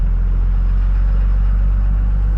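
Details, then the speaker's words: Second-gen Dodge Cummins diesel pickup on a drive up the street: deep, steady drone with an even low rumble and no knocks or misses; runs and drives smoothly, normal running. "it runs and drives so smooth it rides better and it steers better than my third gen surprisingly"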